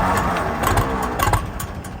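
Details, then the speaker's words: Farmall M tractor being started after purchase, choke out: uneven cranking with a few brief pops that never catch, the engine firing only momentarily; likely flooded with too much fuel, it then idles, missing slightly (possible fouled plug). "Okay, I got it to pop for a second. It turned out I probably had too much fuel."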